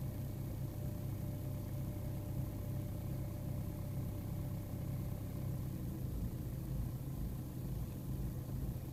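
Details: BMW E46 320d M47N diesel, quieter at operating temperature; MAF, vacuum parts, filters and turbo oil separator already replaced, swirl flaps removed, EGR blocked: deep idle with uneven, lumpy pulse, cause still unknown; rough idle.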